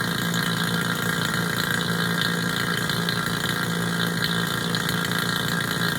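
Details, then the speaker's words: HVAC vacuum pump switched on and pulling down on a micron gauge (target at least 500 microns): steady, even drone with constant hum and hiss, no knocking or surging; pump runs smoothly and is good to go. "No doubt, that vacuum pump is good to go."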